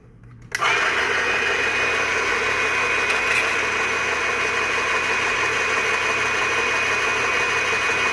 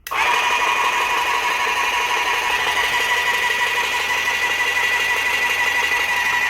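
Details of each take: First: Graco airless paint sprayer, priming from a bucket of water, then prime valve closed to build pressure after filter-housing leak repair: motor settles into a steady busy hum; filter shows no seepage but pump never reaches maximum pressure, suspected worn packings. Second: Graco airless paint sprayer after the packings were replaced, run to maximum pressure of about 3,200 psi to check for a filter housing leak, with no leaks seen. Steady motor whine with a faint pulse about twice a second; the pump holds pressure normally.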